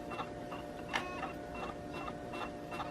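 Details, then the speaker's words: HP Beats Special Edition laptop dropped on its corner while the DVD was spinning; at boot, repeated whirring ticks and clicks about every half second as the optical drive keeps retrying spin-up and fails, so the CD-ROM drive is judged likely unworkable. "But as you can hear, it's still going. Now to me, working on computers for as long as I have, that sound is no good. Therefore, the CD-ROM drive is most likely no longer workable."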